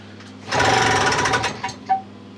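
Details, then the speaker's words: Old British Seagull two-stroke outboard, throttle just freed from seizure, being started out of water: harsh rapid buzzing rattle for about a second as it fires, then trails off; bottom plate screws came loose and the plate vibrates. "that doesn't sound good sounds like something's come loose okay what the hell's that making that noise botom plates somehow come come loose"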